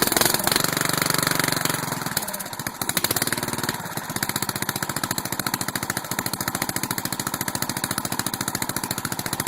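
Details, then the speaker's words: 12.5 flathead engine on the "biohazard", driven little in a month: drops into an uneven, stumbling idle with sharp pops, backfiring through the carb and wanting to die off high throttle; carburetor suspected, rust found in bowl, pulled for cleaning. "It wants to die when you back it off high, red. Backfiring through the carb. Carburetor may be a little screwy on the biohazard, so we're going to pull her off and clean it."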